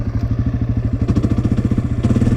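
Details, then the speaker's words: Dirt bike shifted up beyond second gear, past the moderate 3,000–5,000 RPM range: slow, heavy thumping about eleven beats a second, low and labouring without revving up. Engine lugging, chugging and clunky in too high a gear, so shift down. "It feels really clunky. You're in too high of a gear. You need to shift back down."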